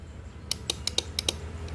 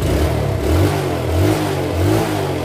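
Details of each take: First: Yamaha Vega ZR, key on, starter button pressed: sharp dry clicks, about six in under a second, from the starter drive area, no cranking; battery reads only 9 V (should be 12.6 V minimum), so it is flat, though the starter brushes may also be faulty. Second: Yamaha Vega ZR after electric starter repair (previously only clicking): engine catches and runs, blipping up and back down smoothly with no grinding or clatter; normal start and running.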